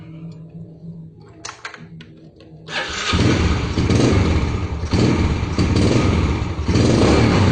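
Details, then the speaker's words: Yamaha Jupiter Z motorcycle (around 2007): starts, then revs surge and sag unevenly under throttle, stumbling and unable to pull; fuel starvation from a cracked fuel tap vacuum hose. "kondisi awal gitu dia berbuat debet kondisi pas dihidupkan itu jadi tidak bisa jalan atau di gas pun dia merebut ya"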